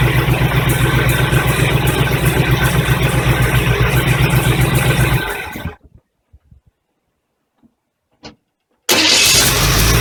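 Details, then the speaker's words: 1985 Chevy truck, carbureted V8, just after a fuel pump change and fuel filter refill. It starts instantly on a quick key crank without touching the gas, settling to an even, steady run: a normal start and idle. "all right on it starts beautifully don't even have to touch the gas quick little crank on the key and she fires right up typical Chevy"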